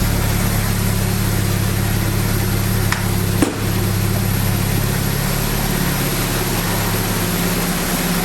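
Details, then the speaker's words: Abandoned 1979 Triumph Spitfire, just revived with fuel system hooked up, idling: a steady, even low drone with no misses or knocks, running pretty good. Temperature gauge not moving so it isn't run long; clutch and brakes not working. "so i don't want to run it too terrible on oh the center gauge is not even moving and so is the well we know the gas hang angle move but it's running pretty good"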